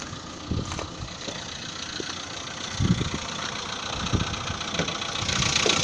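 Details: 2015 VW Polo Sedan after piston modification, cold start at 10 °C coolant: loose, uneven knocking a few times per second over the idle; cold piston slap.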